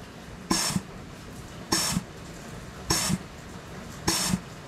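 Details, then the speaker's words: 6R80 transmission rebuild: clutch piston air-checked with shorter bursts of compressed air (compressor turned down to about 50 psi), four short hisses each ending in a soft clunk; piston resets every time, owner thinks earlier failures were too much air pressure. "so you can hear that it resets every time so i think we're good i may have just been using too much air pressure"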